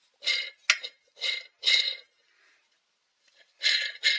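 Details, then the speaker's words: Husqvarna 263 chainsaw strip rebuild: crankshaft bearings removed with the inner race stuck on the crank, spun by hand; short gritty hissing whirrs, none smooth; rough bearings, "not good at all." "Oh, they're rough. Listen to them. Hear them."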